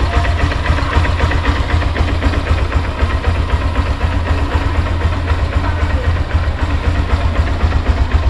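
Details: Honda Hornet 160R motorcycle after the engine noise repair (parts fitted at a service center): steady, even low idle thrum of about four beats a second with no ticking or knocking on top; normal idle.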